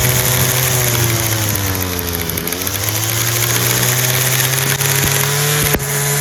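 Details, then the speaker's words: Free Homelite two-stroke string trimmer running on choke: buzzy drone surges and sags with a wavering pitch, and it stalls off choke. Owner suspects mixture screws or a blocked screen near the metering diaphragm. "Did start. But it only starts and runs on choke. The minute you let off the choke to full run with flap, it stalls."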